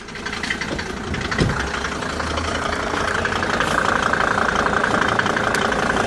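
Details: Mercedes W202 with OM605 turbo diesel at idle; a repeating knock about three times a second rides over the diesel clatter, source not identified.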